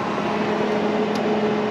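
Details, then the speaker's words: 1982 Fiat 124 Spider heater blower motor, previously not working, tested with jumpered ground to the body and power supply: steady even whirring hum, no scraping or ticking; it works. Normal blower motor operation. "hey it works you can feel it you're not going to see anything but it works"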